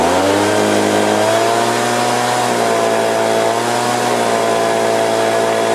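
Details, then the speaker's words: Stihl BG50 blower at its first test before troubleshooting, having started easily: held at full throttle, the whine mostly stays steady but briefly dips and wavers at very high rpm; cause unconfirmed. "Well, I'd say it's running pretty good. Just at the very, very high RPM, you can hear it kind of waver."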